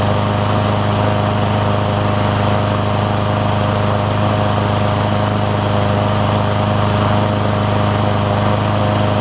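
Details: Craftsman M100 push mower small single-cylinder engine after carburetor cleaning for a no-start: fires up and holds a steady, even buzz with no misses or surging; runs cleanly.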